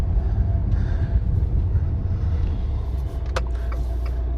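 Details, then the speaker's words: 2018 Fiat Toro road test after suspension repair for a reported suspension noise: only even road rumble over bumps with no clunks or knocks; suspension now quiet. "eu fui para ver o carro lá não tava na hora mas perguntou barulho pegar dando bastante aqui não tem barulho nenhum"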